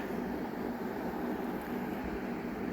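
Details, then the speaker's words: Philips DVD player shutting itself off after a few minutes: the small cooling fan gives a steady, rough droning hum with a rattly edge and sometimes fails to start, causing overheating. Worn cooling fan. "so this shows that the fan has gone bad because of this the device is overheating and it's turning off by itself"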